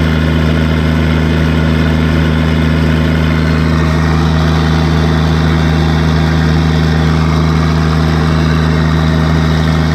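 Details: Case 1450B dozer, freshly rebuilt diesel after reassembly: deep, steady idle with an even low thrum and no knocks, misses or rattles; about 27 psi oil pressure at idle, engine healthy.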